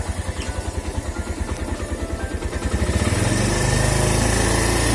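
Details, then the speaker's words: Suzuki Thunder 125 single-cylinder, standard bore, after combustion-chamber restoration, valve work and new rings plus valve clearance adjustment after about 2 weeks' use: even thump, smooth pickup, no top-end tapping; much smoother than before, though slightly less powerful. "Ini kalau aslinya tidak segitu kasar ya. Kalau di video mungkin kasar, tapi aslinya itu tidak terlalu kasar, biasa aja, halus malah. Kalau ditarik juga enak."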